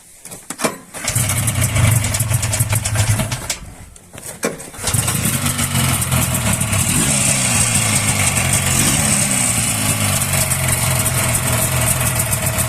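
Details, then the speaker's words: Буран Лидер snowmobile with a new knock: the engine cranks, catches, drops out, restarts, then settles into a busy rattling idle with rough tapping underneath. The fan bearing was checked and seems not to be the cause; crankshaft or piston in the cylinders is suspected, so it will be disassembled. "Слышь, стук где-то. Коленвал. Или поршень."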